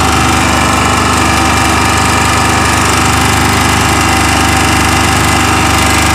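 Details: Chinese 2000-watt generator running at steady speed with an uneven knocking rattle about three times a second over the engine drone; abnormal engine noise, cause unclear.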